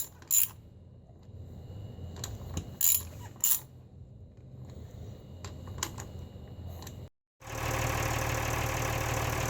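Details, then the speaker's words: Lehman 120 six-cylinder marine diesel just after a fuel filter change: after some clicks, a steady, even low rumble at idle; early misfiring cleared, all six cylinders firing. "Alright, had a little bit of misfiring, but it seems to have cleared itself out and sounds like all 6 cylinders are firing at idle now."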